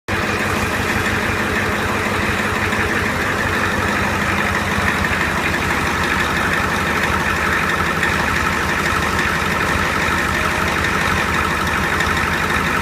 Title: Big Red minus the belt squeal